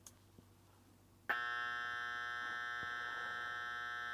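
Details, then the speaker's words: Bass-reflex near-field monitor speaker with built-in power amp, recently taken out of storage: switch-on pop, then a constant harsh electrical buzz that no longer clears after a few seconds as it first did. "so it's that buzzing sound so I'm going to go ahead and turn it off"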